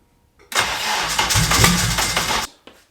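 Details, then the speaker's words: First start attempt, not in gear: about two seconds of labored, uneven cranking with no start; weak cranking was traced to no engine-to-chassis ground, later fixed by adding a ground strap to the transmission. "I noticed why I was cranking so weak moving so fast um does not grounds on the car so I just put it round on to the transmission nice um there's no there was no grounds on the motor to the chassis"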